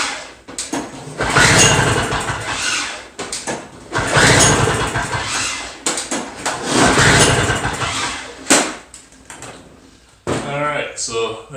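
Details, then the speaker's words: Two-stroke Toro snow blower, half choke, gas topped up, extra priming pumps: three or four pull-cord cranking bursts with no firing; no-start later blamed, probably, on a restricted carburetor jet. "a bunch of crap because it doesn't start at all so i guess let's take this apart get the carburetor off and see what's wrong with it"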